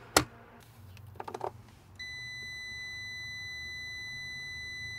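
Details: 2002 Mini Cooper S R53 replacement cooling fan resistor tested with a meter (the old one's thermal fuse blew from the seized fan): after probe handling, a clean steady beep shows continuity at about one ohm. The resistor is good.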